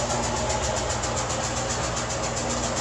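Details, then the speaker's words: Kenmore HE washer Model 417 final high-speed spin, after a homeowner repaired a twisted door seal and sagging drum with a new spring: a smooth, even roar with a steady drum whoosh and no banging; it is balanced now. "is steady nothing like it was before that bum I mean I thought this sucker was going to jump out of his skin"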